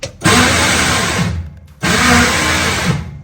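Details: Vintage Willys Jeep CJ5 at start-up: two bursts of free-spinning whir with no cranking rhythm, and it only catches after repeated bumping. The starter spins, but the stripped drive gear on the starter bendix won't engage.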